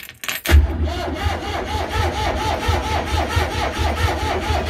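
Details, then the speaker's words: Old launch boat engine, not run for a month, cranked on its starter battery: the starter turns it over sluggishly at about four strokes a second with no firing. Owner suspects the alternator isn't charging; slow cranking, cause not confirmed. "I got a gut feeling my alternators not charging and I don't think this he is charging or that Caesar does this is my solar"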